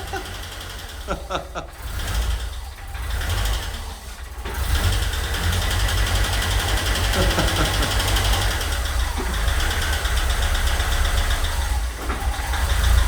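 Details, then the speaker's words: Ford Escort Cabrio XR3i, first run in 20 years after fixing fuel pressure (relay bypass, leaks repaired): after uneven cranking, engine catches and holds a steady low idle on its own; normal idle. "And there we have it, it's alive. It's the first time it ran in 20 years. Crazy, right?"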